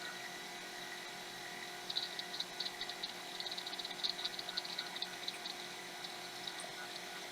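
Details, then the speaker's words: Apple Macintosh LC, about 1991, powered on with a replacement PSU after sparks near the PSU connector: fan and soft hum, then a flurry of light ticking seeks as the Quantum hard drive spins up and boots normally. "I have a fan, I have a whoa noisy. Oh, let's calm down now. Quantum hard drive. I can hear that booting."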